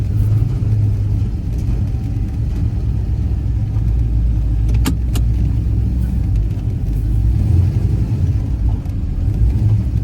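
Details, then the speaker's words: 1970 Pontiac GTO after QA1 coilover install, driving: deep rumble broken by sharp metallic bangs from the front sway bar rattling against things, possibly near a broken fender mount. "The the rest of it I know like the front balance is rattling. It it like is hitting stuff it shouldn't be hitting."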